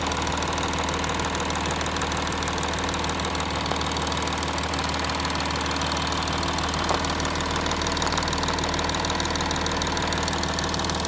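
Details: Audi A6 4G idling after passenger-side exhaust camshaft replacement: even idle with smooth steady hum, no clicking or tapping from the valvetrain; former knocking is gone, engine sounds healthy.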